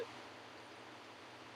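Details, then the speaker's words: Vintage game console/arcade board audio after recapping: constant even static hiss with game sound very quiet underneath; cause of the noisy audio stage not found. "I actually do hear the game sound. There's just static over it"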